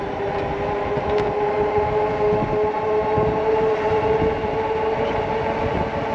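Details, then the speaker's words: eAhora X5 Plus electric bike on its first ride, about 15 miles in: a steady mid-pitched whine over road rumble while pedalling. The rear brake rotor was suspected at first, then the noise was attributed to the rear hub motor. The cause is unconfirmed. "no that's the motor making that noise"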